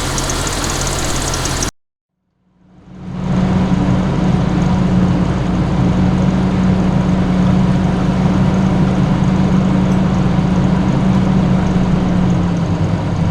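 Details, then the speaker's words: 1988 Jeep Comanche that had been sitting, idling before a test drive: steady even low rumble after a brief dropout, no knocks or misses; owner says it doesn't sound too bad. "but i've got it running sounds doesn't sound too bad"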